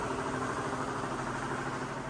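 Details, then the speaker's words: Mercedes SL500 at idle, hood open, original ABC tandem pump: dull steady knocking under an even idle; the pump still gives power steering and was driven Florida to Ohio, but is failing and is being replaced. "ot of noise, a lot of knocking, so that pump is no good. It still operates as power steering. He was able to drive it all the way from Florida to Ohio, but you can hear it. Sounds bad."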